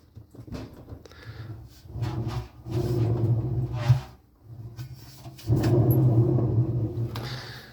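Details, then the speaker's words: Older LG washing machine, customer reported rattling, bearings suspected; drum turned by hand in the garage: bursts of low, gritty rumble with each push; worn drum bearings. "Пробуємо крутити барабан і чуєм, що подшипникам точно гамба."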